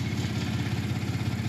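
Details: Ford 3.5 EcoBoost just after new turbos were installed. It started a little rough, then the computer apparently leveled it out to an even, quick-pulsing idle with no knocks, misses or hunting. The check engine light is on, possibly from catalytic converter oxygen sensors.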